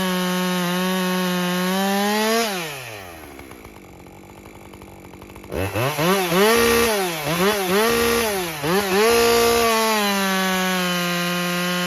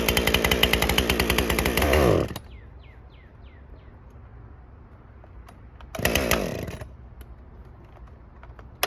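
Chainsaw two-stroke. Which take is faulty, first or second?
second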